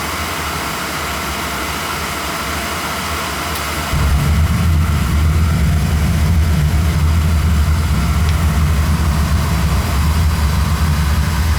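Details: Oil burner on a new customer's service call, motor reinstalled, air band opened wide and suspected of giving too much air: quiet fan hum, then ignition at about four seconds into a steady, heavy low roar. Too much air suspected, not confirmed.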